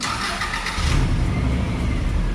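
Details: Subaru Impreza WRX GC8 that intermittently wouldn't start until the negative battery terminal was moved, after tightening the loose terminal: a brief starter whir, then it fires and holds a steady, deep idle without stumbling. Starts normally.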